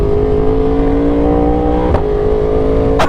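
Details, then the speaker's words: Yamaha R1 on first ride after installing new parts including replaced rear sets, no quick shifter: in first gear with clutch in, idle turns into an uneven hunting lope like a cammed bike, steady in neutral; cause unknown, owner suspects install error. "As soon as I'm in gear with the clutch in, it starts camming. I mean, it sounds like a cammed bike."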